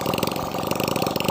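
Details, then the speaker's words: Nasa 2002 four-stroke motorcycle after new 0.25 oversize piston, crossed ring gaps and new valve seals to cure white smoke and oil loss, run without exhaust: sharp, rapid, even popping from open exhaust port at steady idle; normal idle. "mesin di sini sangat lancar sekali semburannya Oke ini sudah aman sekali"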